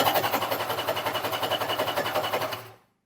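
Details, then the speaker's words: 1994 Kawasaki 750SX stand-up jet ski, about 30 years old and unused for years: starter cranks rhythmically with no catch or firing. Spark confirmed, so the fuel system is probably gummed up and the carburetor is to be broken down. "H well back to the drawing board so we just double checked to see if we had spark and we do so the fuel system is probably gummed up and we're going to have to break that down"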